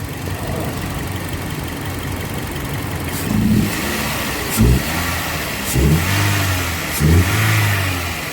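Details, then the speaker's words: 2007 Toyota Yaris petrol engine after the faulty ignition coil fixed its misfire and hunting: smooth idle, several quick throttle blips, settles evenly, no problem now. "मैं अभी कोई problem नहीं है problem निकला था यही कोयल problem था ठीक है छोटा सा काम था इसमें"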